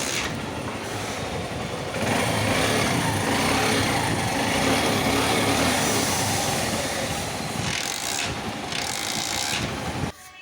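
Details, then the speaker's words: TVS Star City motorcycle after kick shaft fitting and engine refit, started up: small single revving and settling with a quick even beat, no knocks or rattles; engine sound now much better than before, running clean and healthy. "Viewers দেখতে পেলেন বা শুনতে পেলেন আগে থেকে ইঞ্জিনের আওয়াজ এখন অনেক বেটার"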